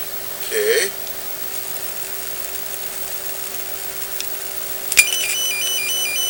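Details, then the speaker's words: Sanyo 5-TC1 Cadnica portable B/W TV (c. 1965): a steady, clean mid-pitch test tone injected at the preamp transistor base plays from the speaker without crackle or distortion. The repaired audio output stage, using silicon instead of germanium output transistors, is working. "So when I inject a tone or a signal, a sound signal, into the base of the preamp transistor, you can hear it from the speaker."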